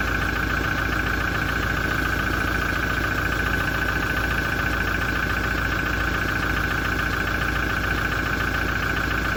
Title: 2017 Toyota Diesel engine noise issue after major service - engine knocking and rattling